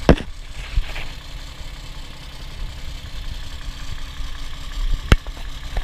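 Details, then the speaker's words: Toyota 1G-FE (Altezza / Lexus IS200/IS300), warm idle: faint light clatter under a low hum. It occurs only hot after the thermostat opens, never cold, and is heard between head and block near the timing end. VVT clutch suspected, unconfirmed. "Как его знает, на холодную вообще нет звука, только на горячую, когда открывается термостат. Звук идет между головкой и блоком."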